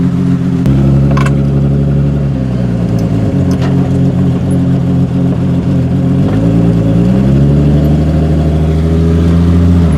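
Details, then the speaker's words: Modified 1989 Jeep Wrangler YJ on a test drive after new rear drum brakes: a deep, loud droning exhaust rises and falls with each shift; the exhaust is clearly too loud and will probably be tackled next. "I am going to probably be tackling the exhaust system next because you guys have heard how loud it was"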